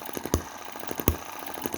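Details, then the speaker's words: Cheap Chinese M19/EM2 hit-and-miss engine, one month in, carburetor inlet reduced with metal putty and adjusted/tightened: sharp firing pops about every three-quarters second with lighter coasting beats, steady healthy hit-and-miss; plug no longer oils up, only slightly warm after 20 minutes. "and with this adjusted and tightened up we're getting quite a good hit and miss... this gets only slightly warm over you know 20 minutes or so of running so you really really can't complain about that"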